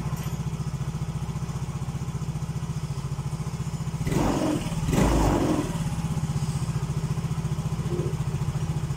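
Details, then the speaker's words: Yamaha Mio J scooter just after an ISC idle-control reset with an MST 400 scan tool and a cleaned ISC chamber; high idle dropping to around 1600 rpm as it settles, a steady single-cylinder pulse with one brief blip. "ini rpm nya gede ia mulai turun dia mulai turun di 1600-an"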